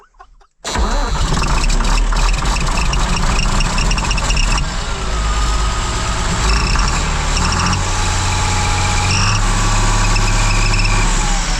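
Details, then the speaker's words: Combine harvester after exhaust housing work and new O-rings: fires to a loud idle with an airy whistling howl on top as exhaust still blows past the turbo housing in one spot; the first fix failed. "still has a noise well our little Jimmy didn't work because it blows by in a certain little spot"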